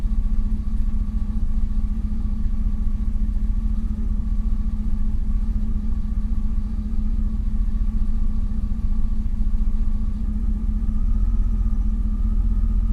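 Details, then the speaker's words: 2000 Chevrolet Silverado, 19 years old, just after starter replacement and ECU reset: steady low idle that sags and wavers, nearly stalling off throttle while still relearning its idle. "she runs good comes back down almost stalls because it still doesn't quite know where it's got to be yet but it'll figure it out"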